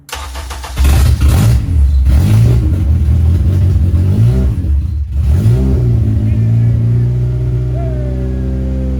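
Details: First start of a K24 engine swapped into a first-generation Honda CRX/third-generation Civic: it cranks briefly, catches and fires, then revs rise and settle into a steady, even idle. Normal start and run.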